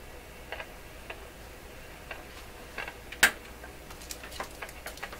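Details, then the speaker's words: Rogers 11RA651 shortwave radio during paper/wax capacitor replacement, traced with a Conar 230 signal tracer: random sharp crackles and pops with one loud snap, audible in the tracer near the speaker cord; a paper capacitor is suspected, not confirmed. "Keep crackling. Come on, don't stop crackling. No question it's audible in the tracer."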